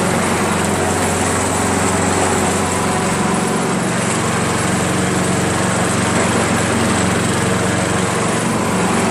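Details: Craftsman 7 HP self-propelled single-cylinder mower, hard to start and needing priming every time despite a checked keyway, lapped valves and a cleaned and replaced carb: an uneven, slightly hunting beat with no steady rhythm. Rough running, cause unknown; ignition coil is checked next.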